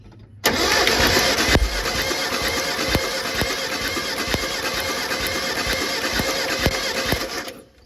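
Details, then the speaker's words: Mitsubishi Pajero 4G54 compression test cranking, about seven seconds of evenly spaced, uniform compression beats; plug leads arcing with plenty of spark; cylinder reads a little less than 120 but around the same as the other three; even compression. "Well, you can hear we got plenty of spark. Those leads are arcing out on the motor. It's a little bit less, but around the same as the other 3."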